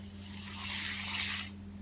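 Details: G-MAX Wolf II (2020) 4000 SW spinning reel, used in salt and brackish water and not washed; turning the handle gives a dry, gritty scratching, stiff and sticky instead of a smooth whir, from a rusted spool shaft bearing.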